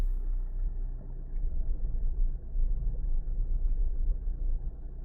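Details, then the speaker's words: 2019 Kia Forte towed in running very rough, oil full: fine in neutral, but in gear and reverse a low, uneven, super-rough rumble. Transmission suspected cooked, torque converter or an internal bearing possibly coming apart; not confirmed. "I put it in reverse. It sounds like the torque converter's coming apart. It's super rough."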